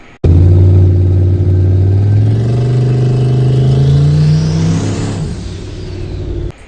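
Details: Turbocharged Monte Carlo: strong rev climbing smoothly in pitch and dropping away, with a faint rising turbo whistle; the turbo spools cleanly and sounds healthy.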